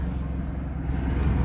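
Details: 1999 Dodge Ram 1500 2WD 3.9 L idling after fuel line connector repair (3/8 adapter, 5/16 hose): brief, smooth low rumble at steady speed, no stumbles or ticks; no leaks, idling fine.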